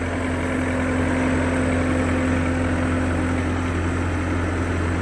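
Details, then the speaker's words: Kubota-engined Bobcat T550 skid steer diesel after replacing the belt and tensioner pulley that made a horrible noise: steady, even idle, constant low drone, no squeal, chirp or knock; belt drive sounds healthy. "Just slide the cover back in, top and bottom dowel pins, and then one bolt to screw it in. And I'm going to toss the battery in. I had to take that bracket out. But other than that, there we are. And that's what it's supposed to sound like."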